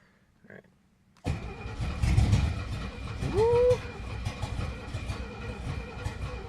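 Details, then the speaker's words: 1970 Mercedes-Benz 250 that sat long with a kill switch, battery good: starter cranks at a steady rhythm, engine nearly fires a few times but never catches; crank no start. "It thinks about it. It just doesn't quite wanna."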